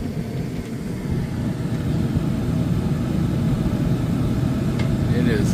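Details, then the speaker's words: Furrion Chill Cube Inverter 18,000 BTU RV air conditioner kicking on after its restart delay, once the thermostat was reinstalled: a steady low fan and compressor rumble builds and holds, with no rattles or squeals. Strong airflow; working normally. "is working the way it's supposed to, and you can tell there's a lot of air blowing out right now because it's knocking around the shade over here."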